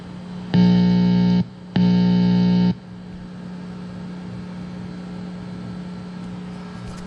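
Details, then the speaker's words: Precision Bass played under fluorescent lights with its two volume pots not grounded together gives a steady hum with two loud, harsh buzz bursts. Soldering a ground wire between the pots removed the buzz. "if you listen you can actually hear it is humming so it is there is a hum produced because these two pots are not grounded together"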